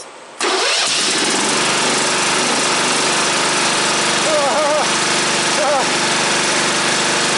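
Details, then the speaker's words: Freshly installed engine on a modified ride-on mower, battery just wired, throttle and choke cables not yet hooked up: brief crank, catches straight away and settles into steady even idle without stumbling; normal start and idle. "Well, that's awesome. Well, it's a runner. That's good. Well, we knew it was a runner, but it's a runner on this."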